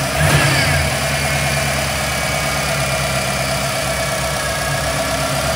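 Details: Engine with Holley Terminator EFI after a change to a single-plane intake manifold: it catches and settles into a lumpy idle whose beat wavers instead of holding steady; IAC idle hunting, cause not pinned down.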